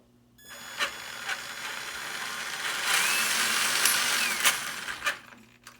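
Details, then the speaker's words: Traxxas Summit RC truck after reinstalling the motor for a light bar fit: motor whine rises and falls, sharp clicks about three a second as throttle eases off; owner suspects the pinion is loose and about to come off the spur gear. "if you hear that little sort of when you let off it's ina has that click sound I think said that it that is it getting ready to come off of the spur gear"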